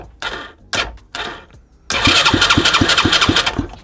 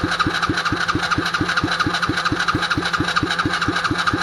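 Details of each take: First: Used Chinese 125cc engine with a newly rewired harness: short starter bursts, then about three seconds of even cranking at roughly three beats a second that never catches. Crank, no start with no spark. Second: Used Chinese 125cc engine with electric start and 3-speed-plus-reverse transmission, rewired, on 93-octane fuel: six seconds of slow even cranking, then it catches into a steady busier idle, smoking a little; a clean start.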